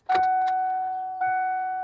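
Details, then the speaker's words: OBS Ford F250 farm truck with the key on and the door open: two clear bell-like dings about a second apart with a steady ring, the normal door-ajar warning chime. "I don't like being on this side of the track because of the stupid door dinger"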